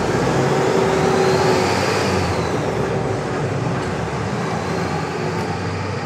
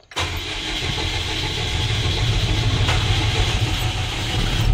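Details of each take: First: FAW diesel truck that was hard starting and shaking, after repair: steady, even idle with a smooth low rumble and no shake or stumble; engine idling normally. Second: FAW diesel truck with hard starting and low power, in neutral: engine labours unevenly for several seconds, rough and struggling to pick up cleanly; fuel filters to be checked for water.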